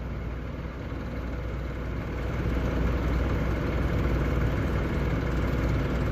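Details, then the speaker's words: Truck auxiliary power unit (APU) small diesel started fully cold after suspected water pump failure and coolant leak: low drone with uneven lumpy beat, sounds like hammered crap until warmed up; rough running when cold. "I guess this thing sounds like hammered crap until it's warmed up and then it just sounds like crap"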